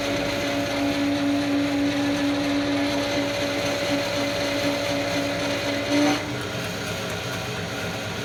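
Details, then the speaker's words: Harrison 11 lathe with three-phase Brook motor, running on a 60 Hz supply (fine at 50 Hz): steady mid-pitched whine with a fainter higher tone for six seconds, then cuts out; unclear whether the belt or the motor is the source. "So it was going okay at 50 hertz. 60 it was making that noise. I don't know if that's the belt or if it's the motor."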